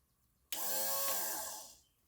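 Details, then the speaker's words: LS swap engine run stand, wiring bench test with the tank still empty: fuel pump switched on gives a brief clean whine that fades in about a second, pump running dry. Normal fuel pump operation. "Now if I flip this switch, my fuel pump should run."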